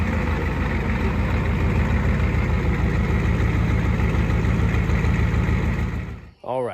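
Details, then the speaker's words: 1986 Ford F-150 XLT, first start after swapping in a 7.3L IDI diesel from a box truck, on a temporary straight-pipe exhaust: it catches and settles into a steady, deep, evenly firing diesel idle with no misses, so it runs healthy. "and just like that she is alive now granted this was the first movement it's done"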